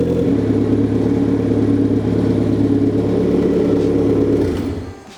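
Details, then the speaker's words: Rebuilt high-compression turbo Miata engine, first warm-up with valve cover on, coolant and oil filled, downpipe and intercooler pipe off: even steady smooth low rumble, no stumble, running fine before shutdown. "A little bit of heat in it, but nothing crazy. Sounds like it's running fine."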